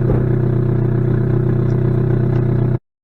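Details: Supercharged 2006 Saturn Ion Redline with 116,602 miles, running: loud, deep drone with a quick steady puffing pulse of about four a second, from a known major exhaust leak.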